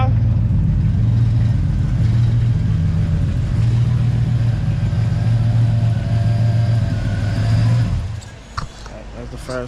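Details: Car idling after new spark plugs and fuel filter check for sudden hesitation; smooth steady low idle, no puffing or ticking from exhaust, engine shut off after about eight seconds; normal idle.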